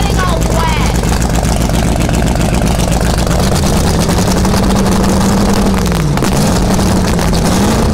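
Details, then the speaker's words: 1971 Sidewinder jet boat 454 V8 just after first cold start before removal, new battery, fresh gas: loud deep roar rising and settling with throttle, firing evenly without misses; running healthy. "Cold start, right? So I was standing there and I'm like, oh cool, it's running, sounds good."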